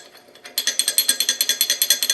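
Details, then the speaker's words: Land Rover R380 gearbox layshaft bearing without snap ring, shaken in the casing bore with no engine running: sharp metallic ticking about seven a second as it rattles loosely; loose bearing rattle. "So, the idea is when you put it into the casing, it can only go so deep. See what I mean? But if you put it in here, rattles around like a pee in a drum."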